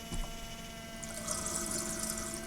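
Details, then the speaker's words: Citroen C15 Romahome habitation water pump switched by tap micro switch: steady low electric hum with water hissing through the tap, pump running harder as tap opens further; normal pump running. "There's the pump running, that's water flowing. Turn the tap on more, the pump runs harder."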